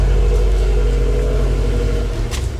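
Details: 2018 Subaru WRX STI with custom downpipe and tune, cold idle in parking garage just after secondary air pump switched off: deep smooth steady rumble without raspy hiss; normal cold idle.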